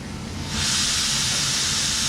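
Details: Motorcycle/ATV lift lowering: a soft start, then a steady loud hiss of venting air from half a second on as the lift comes down normally onto its locks.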